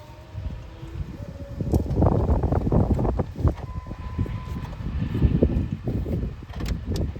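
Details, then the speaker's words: 2001 Dodge Dakota 5.9L after the owner's DIY water pump replacement: the starter cranks the engine at a steady, uneven rhythm but it never fires. Fuel pressure is present, but the spark test shows no spark. "engine. All right. So, no spark. No sparky spark."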